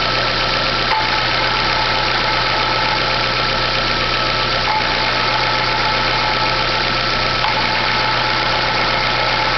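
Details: Chevrolet Classic 2010/2011 at idle: constant whirring rattle that disappears when the clutch pedal is pressed and returns when released; clutch release bearing already replaced without curing it, and a dealer could not fix it.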